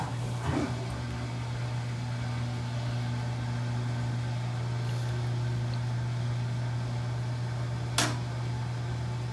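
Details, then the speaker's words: GE stacked laundry center washer that would not spin, after a new lid lock is installed and tested: smooth steady low hum with a couple of light clicks, no grinding or rattling; normal spin after repair. "there we go working great"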